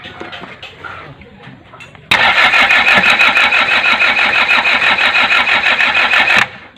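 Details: Diesel engine no-start: starter whirs with an even churning rhythm about four seconds, engine never catches, then stops; cranks but won't start.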